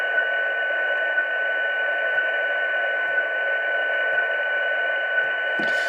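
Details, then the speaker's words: Xiegu G90 HF transceiver, used, firmware version 1.80, antenna disconnected and volume raised: steady receiver hiss with a faint high tick once per second, interference from the serial text output on the rear COM connector updating every second. "Um, and that is this ticking noise that comes from the UAT. So, disconnect the antenna. Increase the volume. Do you hear that high frequent ticking once every second?"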